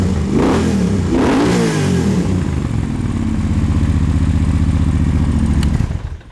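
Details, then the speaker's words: 2009 Moto Guzzi Norge 1200 longitudinal V-twin, 13,000 miles, GPR muffler, dry clutch: deep lumpy twin-cylinder bark climbing with throttle blips, then shut off; healthy, aggressive sound. "i love when these sport touring bikes sound super aggressive like that it's pretty unexpected yeah it's got a really wonderful sound to it"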